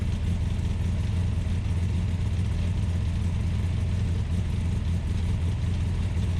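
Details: Ultima GTR with American V8, started on a jumper pack and warming up from cold: steady, even low drone held at a fast idle with no dips; idling high while still cold.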